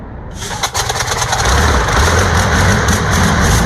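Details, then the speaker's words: New diesel engine for a T62 tank, first test start after oil fill and heat from starting fuel: cranks briefly, catches and settles into deep steady diesel rumble with no misses; clean start, healthy running. "That was beautiful. Can you get some more diesel, mate? It worked."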